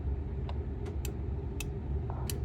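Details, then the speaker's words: Club Car 36-volt electric golf cart, pedal box: crisp light clicks come in one after another over a low hum as the gas pedal goes down, five in all; all micro switches are engaging normally. "you can hear five clicks out it there all right the farther you go with the gas pedal the more clicks you're here one let's see one two three four five all right so that means all your micr switches are engaging"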